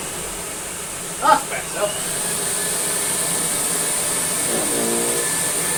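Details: American Viking 507 Electronic vacuum cleaner (US-market Electrolux), first look: a few handling knocks, then an even, steady high-pitched motor hum holding level with no roughness; healthy motor.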